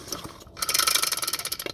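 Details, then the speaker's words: Stihl 015L chainsaw starter, partly disassembled, rope released back in: quick run of crisp even clicks as spring-loaded Husqvarna-style pawls ratchet; normal, indicates that pawl design. "if it ratchets like that that means it's got the huskvarna style PS"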